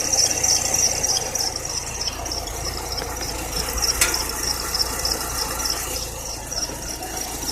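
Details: Serpentine belt squeal at idle: constant high thin squeal; tightening or loosening didn't help, replacing the belt cured it, though the AC compressor, whose bearing was later replaced, may also have whistled.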